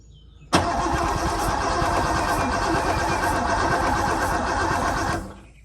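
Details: Porsche 928 restoration, retried after cleaning the gummed-up fuel distributor connector contacts. Steady four-and-a-half-second crank with an even churn, still no start. Owner next bridges the fuel pump relay to check fuel delivery. Cause unconfirmed.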